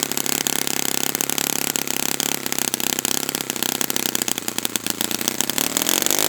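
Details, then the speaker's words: Saito FA-100T twin model engine, brand new customer engine on test stand during break-in runs, restarted warm without priming or choking; crisp, even rapid firing with steady rising note, no misses or sputter; normal running. "So this engine is spectacular, and it's unfortunate that you guys that are watching this video aren't here, because the video just doesn't do it justice"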